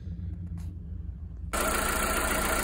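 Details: VW Polo 6N2 with catalytic converter and M18 bolt fitted: soft, even low idle pulse, quiet and smooth before a rush of noise covers it; exhaust sounds healthy and sealed; normal idle.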